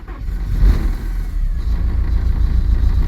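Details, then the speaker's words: Porsche 944 first started after sitting abandoned over 10 years: uneven, lumpy low rumble with wandering pulses that never settle; rough idle. "Oh, it's running rough. It's running rough. It is running though."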